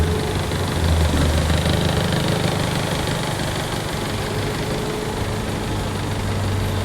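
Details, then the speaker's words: Car misfiring at idle with a bank 1 cylinder 2 misfire code: lumpy, uneven stumbling rumble, one cylinder missing due to a shorted, wrong spark plug fitted. "टीस का plug डाल रखा है इसमें र गाड़ी को इसके कारण से गाड़ी दिक्कत कर रही है"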